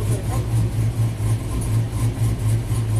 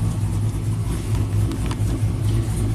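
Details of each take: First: 2000 GMC Sierra 5.3 V8, tuned with cam and exhaust, after crank sensor relearn: steady even idle rising cleanly into smooth revs, no misses; P0336 fixed, cause was rust at the sensor hole pushing the crank sensor out, improper air gap. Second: 2000 GMC Sierra 5.3 V8, tuned with cam and exhaust, setting P0336 despite a new OEM AC Delco crank sensor: uneven stumbling revs that sometimes won't rev up, misfiring from a crankshaft position sensor fault.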